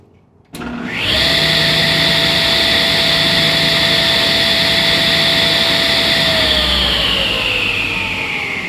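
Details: 1977 Rockwell Model 10 contractor table saw after a suspended motor mount mod, with a board added to stop the motor pulling at startup. The motor spins quickly to a steady high whine, then winds down smoothly with no rubbing or rattle. Normal running.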